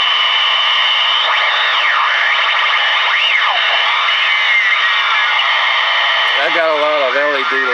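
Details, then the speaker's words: Clegg Interceptor ham receiver on 40 m through an All Bander HF up-converter: loud hissing static with whistles sweeping up and down in pitch, interference from a nearby battery charger left on. "i had my battery charger on that's what all that awful noise was"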